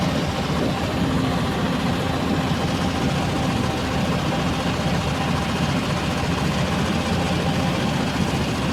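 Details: R480LC diesel at idle: heavy, uneven, lumpy beat with a recurring stumble, a cylinder misfiring, suspected injector or nozzle problem.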